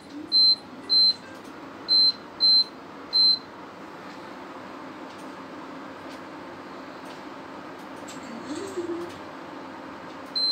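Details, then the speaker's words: Prestige induction cooktop with a pot on it, not heating and later showing E4 error: sharp high beeps repeat at uneven gaps over faint room hum while it stays silent and never heats. "When I turn this thing on and put some pot on it, then it doesn't work, it doesn't heat up, just keep on beeping."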